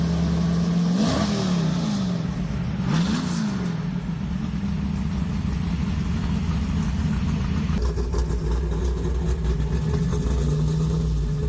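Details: Lumpy idle with a couple of sharp blips rising and falling cleanly, no knocks or rattles, from a big-block Mopar V8; normal idle and revs.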